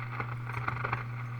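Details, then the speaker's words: RCA Model 641 tube radio at first power-up after restoration, 6.3 V heaters up, no antenna, tuner being turned on AM. A steady low hum with scattered crackles and hiss and no station received, which is normal. "I'm turn turning the tuner a little bit I don't expect to get a AM station"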